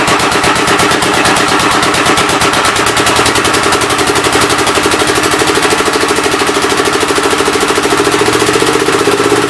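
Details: Old engine's first start attempt on a temporary coil ignition: steady, rapid chuffing with a breathy puff each cycle and slight pitch drift. The intake valve appears to be leaking past its seat but is not hanging open; the owner plans to pull the head and lap the valves.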